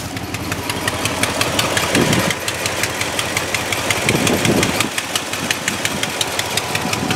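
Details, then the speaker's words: Warm 1965 Ford F250 4x4 petrol engine at idle: a sharp, steady tick about three times a second from an exhaust leak, on an otherwise quiet-running truck. "see if she's warm enough title yet yep you can hear my exhaust leak"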